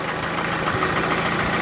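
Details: Toyota Camry with 2AZ engine at 220,657 km, smoke coming from under the valve cover; light repeated tapping at idle over the engine hum, knock source unconfirmed.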